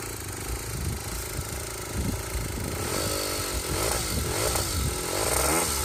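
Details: Aprilia SR50 two-stroke test frame, after fixing a loose flywheel and bad fuel pump wiring: steady buzz rising cleanly with throttle blips, no knocking or rattling; normal running.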